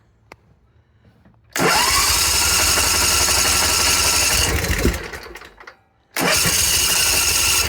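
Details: Simplicity zero-turn with a Briggs & Stratton 27 hp engine, after fuel pump and line replacement and sitting a couple of days: long cranking, about three seconds, then cranking again. More choke and throttle made it start; the fuel now holds in the filter and it seems improved.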